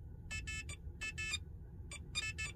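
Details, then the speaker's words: Tesla with an Autopilot anti-nag assist chip, steering-wheel scroll dial turned up or down: short pairs of high electronic beeps over a low cabin hum. Normal confirmation that the setting changed. "if I turn this dial up you can hear beep twice if I turn it down you can hear me beep twice down"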